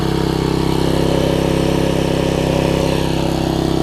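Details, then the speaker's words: Troy-Bilt Tuffy rear-tine tiller with a 4 hp Briggs engine, first start after a new carburetor and diaphragm replaced a poorly running one: steady, even beat of about 220 pulses a minute with no misses or surging; runs clean and better. "so the first thing we'll start if it starts I'll be very happy as you can hear that's better"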